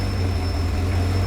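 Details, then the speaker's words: Ferrari F355 GTS project car after cold start, running poorly with incomplete combustion and raw-fuel smell: heavy low drone with a thin high whine over the idle; secondary air pump running loud, injection timing reading very high. "god those secondary errors are loud this thing sounds like dog [ __ ] your car's fat bro"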